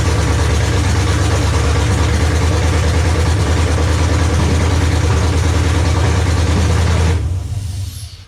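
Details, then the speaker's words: 1994 Chevy C1500 OBS with a 6.0L LS swap, first-ever start, a brief run with oil but no coolant. A steady low, even burble at a quick idle for about seven seconds, then a clean shutdown. Normal running. "Y'all saw that. Y'all saw the first startup ever."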